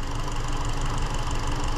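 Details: 2017 Hyundai Elantra 2.0 GDI non-turbo with a long-running, very intermittent P0303 cylinder 3 misfire; lumpy, uneven idle as it bucks, with the scope showing no firing on cylinder 3.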